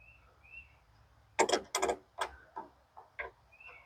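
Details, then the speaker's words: Norwood HD36v2 sawmill being adjusted band-to-bunks with a new roller guide upgrade; the saw head creaks and squeaks irregularly, about three times a second, while raised and lowered on its posts; binding of the head suspected. "and I can hear the Saw Head creaking"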